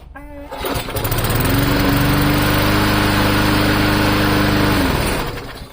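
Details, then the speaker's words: Free old lawn mower engine after the governor spring bracket was bent outward for more tension, safety handle clamped: small single starts, then a steady higher buzzing drone with even pitch, no hunting; normal running at raised governed speed. "I don't know if you could hear that but it was increasing as I was pulling on it so I'm giving it more tension against the governor runs pretty good"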